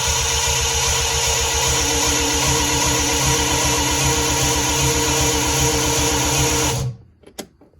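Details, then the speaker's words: 1975 Triumph TR6 rebuilt engine, ignition disconnected, cranking to build oil pressure: fast perfectly even cranking for about seven seconds with no compression beats; camshaft timing wrong, later re-degreed. "is it cranking as if there's no compression [Music] something is wrong"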